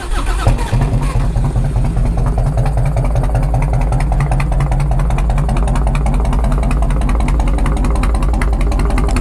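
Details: 1997 Harley-Davidson Road King Police with tune, full exhaust and big-sucker breather, cold start: starter whirs briefly, fires at once into loud loping even V-twin idle without knocks or misses; normal cold start.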